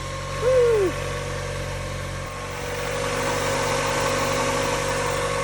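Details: Mazda Miata after timing was reassembled with the marks lined up at top dead center: quiet, steady idle with an even low hum and no ticking or slapping from the timing side, apart from a brief early chirp; normal idle.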